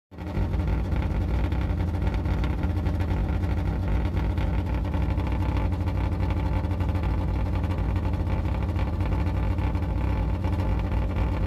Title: Yugo exhaust leak